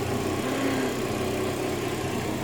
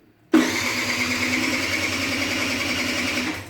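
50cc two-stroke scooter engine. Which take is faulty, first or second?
second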